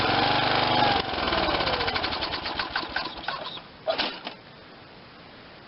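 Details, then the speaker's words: 1986 Lawn Chief 300 riding mower, 8hp Briggs and Stratton single, an auction buy run on gasoline before its carburetor is cleaned: quick, fairly even popping beat easing down, with no knocking or grinding; sounds healthy, a promising motor. "that sounds good so I'm going to take the carburetor off give that a hundred percent cleaning and see we're at I think this is going to be a good motor"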